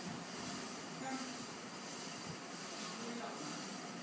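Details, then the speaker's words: KDK ceiling fan running: a steady, rough rolling roar with vibration, attributed to bad bearings. "is everything minecraft guy back again here and today i'm going to show you a kdk ceiling fan with bad bearings"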